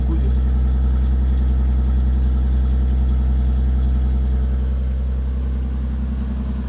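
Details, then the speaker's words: BMW E36 just after an oil and filter change, very cold on choke: steady, even idle with a smooth low thrum and no clatter or ticking; the earlier strange noises are gone, with no smoke, and it sounds healthy. "Là, elle est très froide. Starter, tout va bien. Et rien qu'à la vidange, j'ai plus de bruit étrange, de claquement ou quoi que ce soit."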